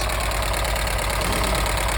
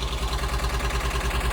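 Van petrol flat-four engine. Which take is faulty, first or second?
first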